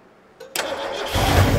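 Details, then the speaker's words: Abandoned 1972 Ford Galaxie 500 station wagon, 400 V8 parked since 1998: brief starter grind, then engine catches quickly and fires rough and uneven on squirted starter fluid, loud. "wow was not expecting that quick no I wasn't either"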